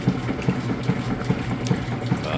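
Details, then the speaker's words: GE direct drive top-load washer, medium casual cycle, warm/cold, super load, clothes fully submerged: regular chugging swish about every 0.4 s with water sloshing; normal agitation. "As it goes, it'll vortex those clothes down the middle, along the bottom fins, and then back up, and it just kind of keeps working its way around. It'll have a couple different speeds that it agitates at too."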